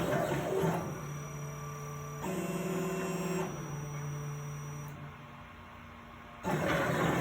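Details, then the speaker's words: Plasma table with replacement OpenBuilds BlackBox controller, running a job: stepper tones shift abruptly and stutter as the gantry moves; jitter at the same spot each time, unchanged by voltage settings, lead screws glide freely, cause unknown. "so now it's running clean now it's got a little bit of jitter"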